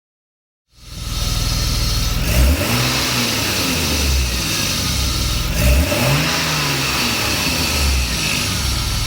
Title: m50 ticking sound